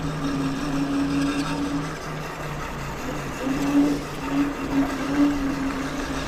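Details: Wolf King GTR electric scooter ridden on trail: wavering mid-pitched whine coming and going over wind and tyre noise; rear disc rubbing the pads, disc possibly bent or wheel misaligned.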